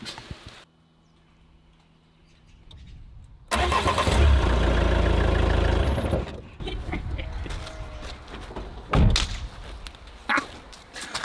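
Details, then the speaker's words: Old van in poor condition, first start after the starter had not turned: quiet, then a loud uneven clattering roar settling into a ragged, lumpy run. Owner suspects exhaust hanging off; coolant low. Rough running after start. "easy as that that sounded absolutely terrible I think the uh exhaust is hanging off which isn't good it needs coolant in it which also isn't good"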